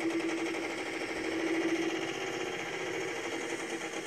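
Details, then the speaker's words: 2007 Chevrolet Silverado 5.3 V8 Vortec with 205,000 miles, after a shop refitted the cylinder heads: fast, sharp ticking at idle because two AFM lifters (cylinders 2 and 8) were installed backwards and stuck, not moving. "you can hear that so now that's from the incorrect insulation of the lifter"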